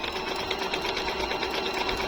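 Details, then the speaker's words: Jaguar MP-006 multi-stitch sewing machine, good as new, sewing scallop stitch on thick denim: fast, even stitching rhythm with light whirr, no knocking or grinding; smooth, very quiet, healthy. "Tapos bukod pa po sa very smooth po yung tahi niya, tahimik na tahimik po yung tahi niya."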